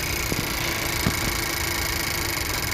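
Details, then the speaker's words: Honda CR-V with code P0303 cylinder 3 misfire, corroded battery and ground: coil unplug test, each coil disconnected in turn makes idle uneven with dull thuds as engine shakes, returning normal when replugged, so all coils judged good. "Alright guys, so you literally just disconnect one by one, and as soon as you disconnect it, the engine literally starts shaking."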